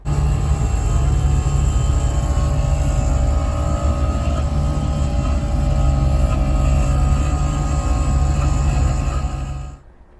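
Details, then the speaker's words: First-generation Chevy S10 heater blower motor, before replacement. It runs with a loud, steady droning hum and a rough whirring edge until switched off: a worn, failing blower motor. "because it is cold and rainy today and it's cold and it's rainy and my blower motor makes this sound"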